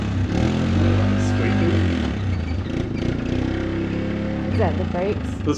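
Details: Old Yamaha Big Bear 350 ATV after repairs (seized front brakes freed, throttle fixed, front wheel bearings, tune-up): single-cylinder engine revving and settling, pulling cleanly with strong even note, no knocks or misses; runs healthy.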